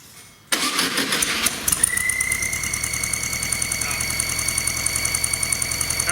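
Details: Volkswagen, about a month after rebuild, under 1000 miles, rough idle: cranks and catches, then a steady high whistle over idle even with the belt off, ruling out belt and alternator; intake manifold vacuum leak suspected, not confirmed.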